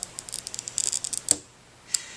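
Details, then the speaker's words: Handheld glass cutter scoring stained/fusing glass from the edge with gentle even pressure: crisp high scratchy creaking crackle in quick bursts for about a second, then quiet; normal good score. "as you score you should be able to hear it cause a gentle creaking or scratchy noise all the way across the"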